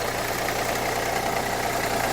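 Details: 2011 Renault Kangoo 1.5 dCi 86 hp, under 100,000 km, with a Delphi injection pump: diesel idling with an uneven clatter and a faint irregular knock, with foam and air in the fuel. Pump problem with metal filings suspected; not confirmed.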